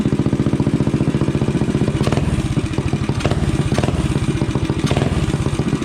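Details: Rascal GT cruiser minibike with a DIY pit bike muffler bolted on by a bracket and floating unclamped on the pipe: steady, even low thump at idle with no misses or rattles; healthy, with a nice exhaust tone.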